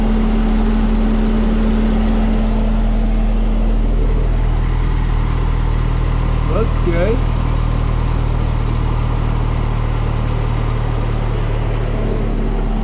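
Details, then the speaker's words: Saab just started after automatic transmission fluid flush, idling to cycle fluid and check for leaks: steady even idle, smooth low hum, no knocks or misses; normal idle. "let's fire this thing up let it run for a minute let that transmission fluid cycle see if it leaks"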